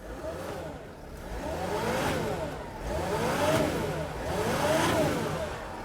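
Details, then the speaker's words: 2008 Freightliner Sprinter 3.0L after replacing a defective crank sensor that caused a P0335 crank-no-start: engine pulls up smoothly in three even rev swells and settles back, no misses or knocks; repair confirmed, normal revving. "so that's good the engine now runs okay so this is fixed right there"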